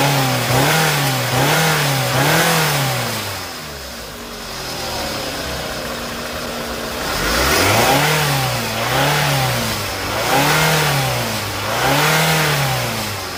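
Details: Scion xB 2nd gen that had a loud engine-bay hissing, pulsating rpm and power loss on acceleration. After the repair, on a hot engine, it revs in smooth, clean rises and falls with no hiss or hesitation: normal running.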